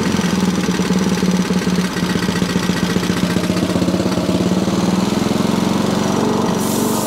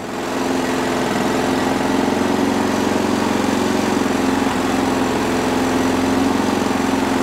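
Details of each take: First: Sovereign lawnmower single-cylinder engine, governor spring out of place, still not revving high after carb cleaning; rapid even putter at low unchanging pitch that never climbs, under-revving. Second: Small Sovereign lawnmower engine running after fitting a replacement part with primer bulb from the spares bin: steady, even drone with no surging or hunting; little engine doesn't rev a massive amount, running properly.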